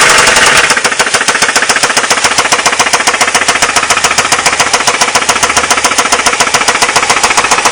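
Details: Ford Mondeo Mk3 1.8 at steady idle: fast, even metallic rattle around three and a half beats a second; loud engine rattle, source not yet pinned down.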